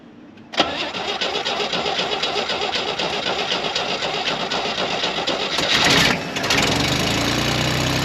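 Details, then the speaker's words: 1967 GMC truck with new choke cable: starter grinds about six seconds before the engine catches and runs; it fires then runs out of fuel, owner suspects a bad vacuum leak or faulty carburetor. "she fires up soon as she fires she runs out of fuel so sure what's going on there"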